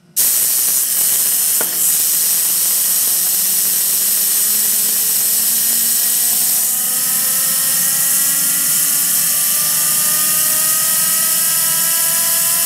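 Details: Home-built 220 lb thrust turbine engine, started with compressed air via nozzle, no ECU, fuel pump voltage set by rheostat: whistling tones climb with hissing roar; fuel flow too aggressive, hot start, but spooled up to a good start.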